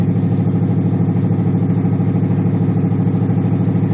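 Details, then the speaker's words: 1977 Monte Carlo automatic, cold start after sitting a day or two, stalls when revved; carb was adjusted, owner assumes a carburetor problem: lumpy idle pulsing about twice a second, uneven and shaky; rough idle. "And mind you, this is an automatic to the actual sound of the engine, it doesn't really sound too good."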